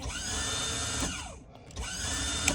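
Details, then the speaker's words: 2003 Bayliner 215 Bowrider stern-drive power trim pump trimming the outdrive down, boat on the trailer: a smooth electric motor whine in short runs with brief stops and clean restarts; trim pump working normally. "So, with that said, okay, this is your trim down. We'll take your out drive all the way down. All right. So, hear it working."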